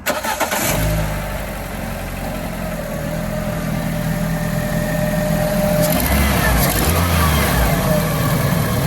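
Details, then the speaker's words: Cheap auction Ford KA with a suspected blowing exhaust, first start: engine settles into slightly uneven idle with raspy puffing exhaust and a faint whine over it — exhaust blow with belt whine. "doesn't seem that bad. It's a little wine, but I don't know what this sounds like regularly."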